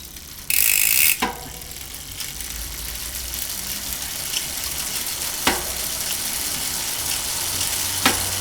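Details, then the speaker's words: Face Ace 32-hole hub with four bearings front and rear, spun fast: a short, dense run of crisp, even freewheel clicks, then a few single ticks; the freehub and bearings sound healthy. "Suara bearing sangat presisi."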